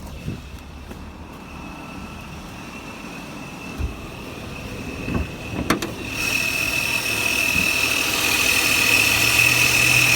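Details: Idle hunting up and down with a steady high throttle whistle that grows louder as the revs creep up. The cause has not yet been found.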